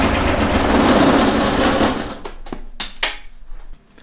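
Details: Kubota BX diesel tractor in severe cold: loud rough diesel clatter cuts out after two seconds, leaving scattered clicks as it dies; fuel starvation, no fuel reaching injector pump, owner suspects gelled or iced fuel.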